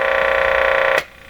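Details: Crosley Mohawk 14B tube radio, volume control output capacitor replaced by a substitution box on long test leads: steady buzzing hum through the speaker that stops abruptly; mains hum picked up by the long wires.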